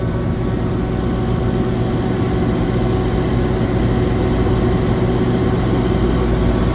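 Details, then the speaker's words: Screw compressor on a chiller after a low discharge superheat alarm was fixed by recalibrating sensors, checked with a vibration analyzer on top near the gate rotors: steady, even low drone with no knocks, rattles or rising tone; smooth and well balanced. "these are the gate rotors and as you can see this compressor is insanely well balanced"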